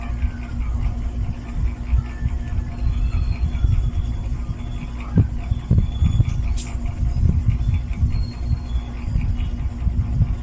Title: Late upload my 8 months old NSS 410 MM mini ceiling fan Noise after running for a few hours